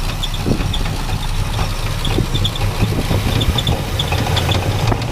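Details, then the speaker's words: Classic Chevy C10 V8 truck, sat about five years, previous owner quit over knocking; running not very warm: irregular low knocking deep in the block under exhaust rumble at idle, source unknown; fan belt or pulley seen wobbling. "yeah I hear something down in there I don't know what that is doesn't sound good"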